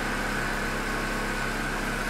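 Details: Corsa Classic 1.6 8-valve that arrived on a tow truck not starting, zero fault codes: steady even idle with constant hum, no misses or ticks; engine running normally.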